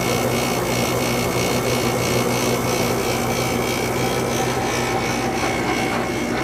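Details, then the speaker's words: Second Sharp window air conditioner, first startup of the season after winter storage, compressor just started: a constant compressor hum with a buzzing rattle from the cabinet vibrating on what it sits on. The coils frost at startup but it still blows cold. "course this frickin thing is vibrating on top of them all right got it stop vibrating so you can actually hear this thing"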